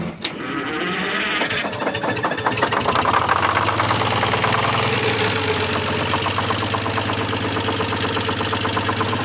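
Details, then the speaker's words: Newly installed replacement engine on its first test driving a grain vac, after overheating from a badly worn engine. The diesel fires after a brief crank and settles into a busy, even clatter rising in pitch; normal start and run. "Ces trucs sont tellement cool quand ils tournent à plein régime. Et puis ils aiment bien hurler un peu quand on les fait tourner."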